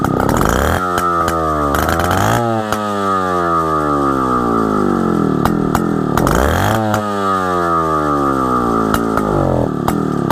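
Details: 1960s Solo 626 (60126) 70cc two-stroke chainsaw after long storage, sharp chain: crisp rasp blipping up and settling to a steady, clean, even idle several times; healthy running.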